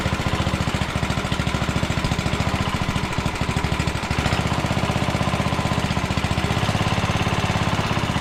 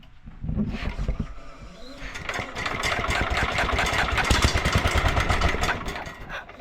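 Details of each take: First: 1967 Sears Suburban 10 single-cylinder engine, freshly reassembled, first start on choke with the muffler loosely fitted and throttle cable unhooked while adjusting the carburetor; it pops and hunts unevenly, and brake cleaner sprayed behind the carb changed rpm, revealing a vacuum leak. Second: 1967 Sears Suburban 10 single-cylinder after restoration, the day after chasing vacuum leaks: catches and settles into a fairly even putter with no stumbling or surging; now running properly.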